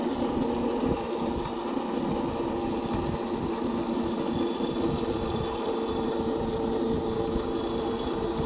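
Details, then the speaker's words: Old Burg pedal go-kart converted to electric, 36V 500W car alternator as brushless motor, 36V 18Ah lead-gel batteries, chain refitted: constant rattly whirring from chain and sprockets at steady riding speed; noisy chain drive. "la vache la transmission n'est pas terrible et ça fait beaucoup de bruit"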